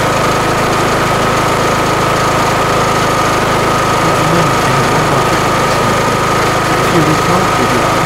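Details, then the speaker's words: Kohler Courage single-cylinder riding mower engine after valve adjustment at 200 hours (intake set 0.005 in, exhaust 0.007 in), reassembled: steady even beat with no ticking or tapping, running smooth like a steam engine; valvetrain healthy. "can you listen careful how smooth it runs in slow motion you hear that if there would be something wrong with your VES or stuff you would hear it it would make weird noise but this is like a steam engine here it's like smooth and nice"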